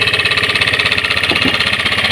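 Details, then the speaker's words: Honda Scoopy scooter engine with a rough-noise complaint: a fast, even beat under a loud metallic rattle and hum that follows the revs, diagnosed as a worn crankshaft bearing that is to be replaced. "Nah guys, ribut ya. Jadi bisa kita dengar sendiri tadi bahwa ribut guys."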